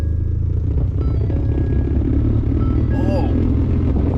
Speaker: okay does your F-150 make this horrible noise from the heater or the air conditioner check this out